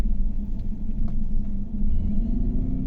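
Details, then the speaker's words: 2018 GMC Yukon V8 (also called 2015) at idle, flashing check engine light, codes P124D injector and P0300: deep lumpy uneven idle with dips and engine vibration, misfire traced toward cylinder 8; injector fault suspected. "Check कर सकते हैं जी, ये इसका इंजन के इस तरीके से वाइब्रेट कर रहा है ना, ये भी आपको कुछ महसूस हो रहा होगा।"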